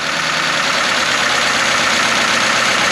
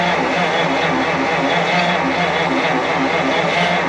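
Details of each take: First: 1953 Pontiac straight-eight, first run since 1971, on partial choke: fast even idle, slightly hissy top end, no knocks or misses; normal idle, rust blowing out of exhaust. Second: 1953 Pontiac straight-eight, off the road since 1971, first start attempt: slow steady starter grind about three turns a second with no firing; engine nearly frozen, suspected flooded.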